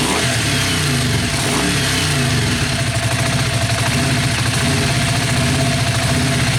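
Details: Yamaha Virago XV500 café racer with a newly mounted SU carburettor and ram pipe, mic near the ram pipe: steady, even beat with strong intake roar swelling smoothly as it revs; healthy, no knocks or misses.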